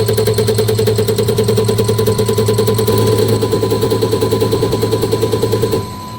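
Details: Mitsubishi Fuso Canter Euro 4 diesel injector on the test bench: crisp, even ticking about three per second over a steady bench hum, no misses or chatter. The injector sounds healthy.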